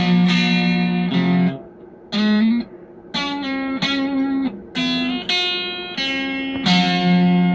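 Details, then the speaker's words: DigiTech Twin Tube GFX1 preamp on its Screaming Demon preset, with a wrong 12AT7 tube in place of a 12AX7. Even with the gain up, notes ring clean with no crunch. "gotta turn it all the way up to get any kind of distortion out of it with the 12A27. Screaming Demon. Doesn't seem very screaming."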